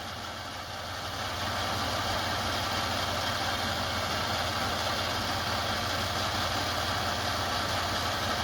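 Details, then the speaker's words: Toyota 4Runner after coolant leak repair, engine idling: steady even idle that settles after a slight rise, no knocks or rattles; earlier noise from a possible loose plastic piece no longer heard, normal idle. "Interesting, dude. we don't hear anything rattling around."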